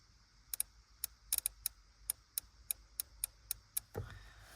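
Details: Relays bench-tested by applying 12 volts to each switching coil: crisp, clean relay clicks, a dozen or so in a few seconds, each contact snapping in normally.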